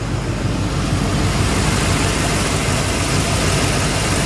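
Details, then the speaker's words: 2005 Ford Expedition V8 after one year of owner repairs, fully hot after a short drive: smooth even low idle rumble with no clicking or knocking where it used to click and knock; normal warm idle. "We're at full hot now after that little drive. And you can hear, you didn't know what it was before, but this thing is very quiet now. No noise."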